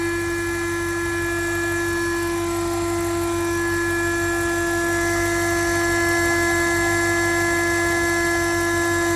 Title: BMW N62 4.8 buzzing hum sound